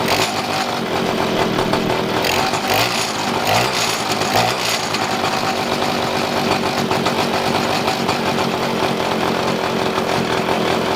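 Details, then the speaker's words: Two-stroke pocket bike, idling unevenly after carb tuning (idle screw and air mixture screw adjusted): buzzy revs wander and stumble before settling, mixture still not right; owner says it runs well sometimes and badly other times. "The bike's been weird since the moment I've had it, because sometimes it runs really good and I don't have to adjust the idle screw and the air mixture screw, and then sometimes it runs like shit."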